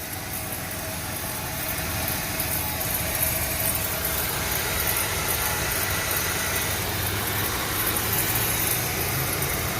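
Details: VW Routan in drive at idle with brakes removed to rule out pad wear indicators; steady rough rumble and whir from the spinning wheel hub, a worn wheel bearing.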